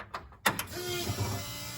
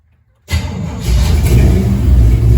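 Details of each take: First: Jeep with newly installed ACES Fusion EFI, key on: click then steady loud electric hum of the fuel pump priming with engine not running; pump is noisy but drowned out once the engine runs. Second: Jeep rock crawler first start after ACES Fusion EFI install, fuel system primed and leaks fixed, noisy fuel pump: engine catches quickly, revs briefly, then settles into a deep, steady, even rumble with no misses or knocks; normal start and idle.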